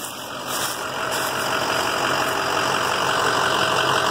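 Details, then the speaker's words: 2007 EarthRoamer XV-LT, heard walking around outside: even, steady diesel idle with a faint high whine from the diesel heater, no knocking or misses; engine idles cleanly. "I've never ever had a moment's problem with that engine this engine is the same one and it runs perfectly"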